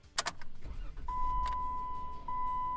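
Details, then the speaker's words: Jeep after programming a new key via OBD2 programmer: brief starter crank, engine catches and settles into steady idle with a chime over it; clean, normal start with the new key. "there just like that the engine started our new key work"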